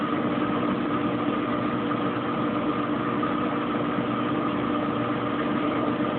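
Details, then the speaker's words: Kenmore Oasis top-load washer after an OL-code repair: it spins a little, revs up, the pump shuts off and kicks back on, then it goes into high-speed spin with an even motor hum and no thumping, scraping or surging. "Sounds like it's spinning a little. It's revving up. Sounds like the pump shut off. Sounds like the pump kicked back on. Going into a high-speed spin."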